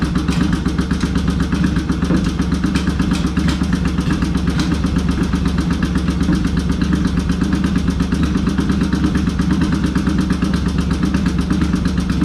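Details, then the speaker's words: Yamaha XS650 rephased twin hot rod bike, previously stuck clutches freed; deep lumpy off-beat exhaust, revving evenly without knocks; healthy normal running. "if you're wondering what an xs650 rephase motor sounds like i'll do it one more time here"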